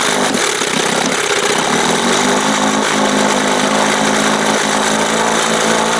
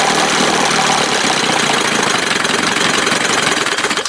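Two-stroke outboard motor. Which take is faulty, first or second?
first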